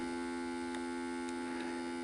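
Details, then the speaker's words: RCA VCR with a tape inserted: steady motor hum with a faint tick or two but no tape movement, and no fast forward or rewind; transport not engaging, bad belt and worn idler tire suspected. "put a tape in you can hear the motor right away you can hear it so if i take the see and then i can't fast forward either or rewind"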